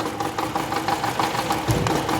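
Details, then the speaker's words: 2012 Toyota Camry with a severe misfire, cylinders 3 and 4 not working: uneven idle with irregular stumbles and dropped beats, rough lumpy rhythm. "एक गाड़ी में missing बहुत ही अधिक तीन number पर चार नंबर काम नहीं कर रहा था"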